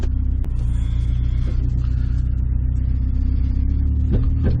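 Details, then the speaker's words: 1998 Honda CR-V while driving: steady deep droning rumble that persists after rear brake work; owner suspects the transmission or drivetrain behind it, origin unconfirmed. "oh i still hear this i still hear the noise yeah i'm gonna need a transmission oh man that was"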